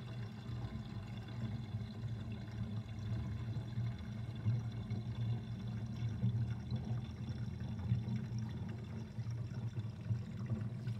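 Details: Kitchen sink drain with drain basket and the overflow covered. A steady, low gurgle of water pulling air through the drain throughout, suggesting a slow or poorly vented drain.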